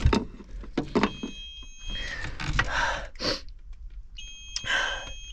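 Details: Hot tractor cab while the fuse panel relays and a dual-rate flasher are checked for dead blower fans. Two spells of steady high beeping, each about a second, sound between handling clunks. The warning alarm's cause is not yet found.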